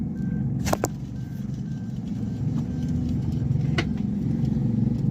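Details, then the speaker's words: 2022 Suzuki Alto engine running with a low rumbling whir and faint thin whine from the alternator, worn alternator bearings. "Alternator में से आवाज आ रही है"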